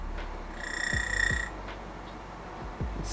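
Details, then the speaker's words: DF64V grinder fitted with SSP HU burrs, zeroing at 1800 rpm: a steady high-pitched whine over a low motor hum. It sounds like shimming, but it is not. Normal grinder motor whine. "Slightly high pitch. Sometimes it sounds like your burrs are shimming somewhere, but it's not really an actual shim."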